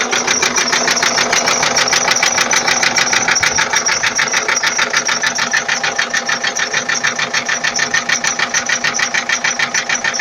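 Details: 2004 Ford Transit 2.4 TDI diesel at idle; sharp, regular metallic knocking about 200 per minute, even and hard, source unknown.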